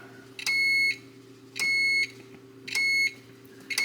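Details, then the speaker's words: 1940s Chevy stoplight switch under the steering column, tested with meter leads during wiring harness install: steady high continuity beeps in short bursts about once a second, cutting in and out as the lever moves; switch making proper contact. "our varying quality of beeping changes so we got a good stop switch down there"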